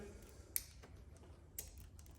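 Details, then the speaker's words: Honda Ruckus scooter with key on and brake pulled: two sharp solenoid clicks about a second apart with no cranking. This indicates a dead battery or possibly a loose connection; the kickstart also failed earlier. "Hear that solenoid clicking? You hear this noise when you try and start it? That's a dead battery."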